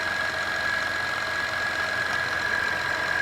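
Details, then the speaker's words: 2012 Acura TL V6 idling with the battery/charging light on: steady high whine from the alternator, which is undercharging at about 12 volts instead of 13–14; failing alternator to be replaced. "I don't know if you can hear that whining or not that's the alternator making all that noise"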